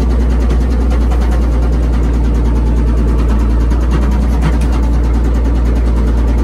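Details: Old Komatsu WA180 wheel loader diesel: loud low drone with a fast, even rapping beneath it that follows engine speed; connecting rod knock, engine died and owner considers it finished.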